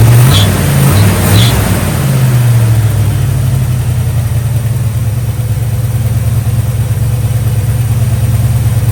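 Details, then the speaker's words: 1965 Chevy Nova wagon, new Holley 450 carburetor, second start without choke after refilling bowls: after a brief blip the V8 settles into an even, steady low idle, not running rich; healthy. "idling really smooth, and it doesn't smell rich at all."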